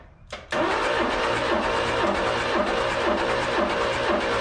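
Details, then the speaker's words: Old mini U-Haul box truck (Ford Courier) after sitting 35 years, compression test on cylinder 1 after WD-40, gaining a little, about 20, air heard pushing out: the starter spins the engine with an even, steady chug of about two or three beats a second. "not a lot but she did get us a little about about 20. sure sounds like we're pushing air out over here to me"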